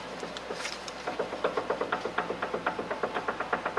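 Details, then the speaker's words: 2011–2014 Hyundai Sonata, about 100,000 miles, that rattled in the front end over bumps: sharp, evenly spaced clunks as the left front sway bar end link is pulled by hand from underneath, showing play in a worn end link joint. "hear that that play is coming from one of these joints on this sway bar end link"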